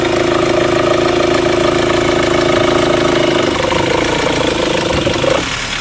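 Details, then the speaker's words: Mahindra XUV500 diesel, noise with AC on; steady mid-pitched whine over idle clatter that fades near the end, from a worn accessory drive belt and tensioner, both to be replaced. "तो हमने check कर लिया इसमें tension और bill दोनों को change कर दे"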